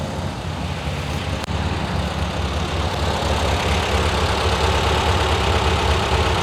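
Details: 1971 VW Squareback air-cooled flat-four, engine reinstalled with new valves and 40mm carbs, valves adjusted: even steady low chugging idle slowly picking up slightly, no knocks or misses; running fine, valve cover still leaking oil.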